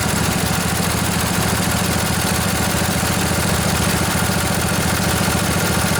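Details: Junkyard Briggs & Stratton Intek twin-cylinder 20-25 hp riding mower engine, long sat outdoors, just revived: even steady putter at idle, no misses, knocks or hunting, little smoky after not running a while; normal idle.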